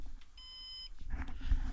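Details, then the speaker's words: Synology NAS with a drive that had logged errors, being replaced by a larger 3TB drive: after drive 4 is deactivated from the pool, a steady high-pitched beep of about half a second, then handling noise. Warning of a degraded volume. "This is still beeping, so it definitely lets you know when it needs a new drive."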